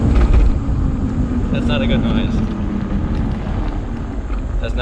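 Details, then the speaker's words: Homemade 72V 12,000W electric dirt bike on a Kawasaki KX250 frame, first test in medium mode at full throttle: quiet drive with an uneven, juddering shimmy as the motor fights itself. The owner suspects the hall effect sensor is losing position; this is not confirmed. "the motor is fighting itself when i hit full throttle uh it does like this weird shimmy thing where it feels like it the hall effect sensor doesn't know where it is"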